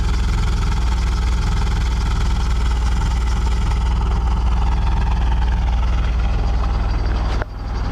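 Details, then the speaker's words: Fully warmed petrol engine idling, running hot: uneven low exhaust pulse with frequent small misfires, plus a power steering pump pulley squeak from sitting; cooling fan not yet on. "But if you come down here, you can maybe kind of hear how rough it's actually running right now. Not very smooth. Lots of little misfiring going"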